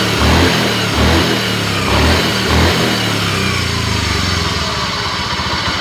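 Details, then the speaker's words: Honda Scoopy scooter revved in short blips, with a fairly loud droning hum that climbs with engine speed under the exhaust. The mechanic suspects a worn bearing on the drive weight/pulley side. "oke ya suara handlingnya lumayan agak keras ini kalau berkendara ada suara gini kan jadi nggak nyaman ya teman-teman"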